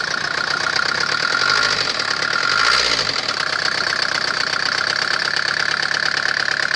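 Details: Mercedes OM601.970 diesel at steady idle with a sharp, regular knocking that keeps time with engine speed over the clatter. Internal engine knock, cause unknown.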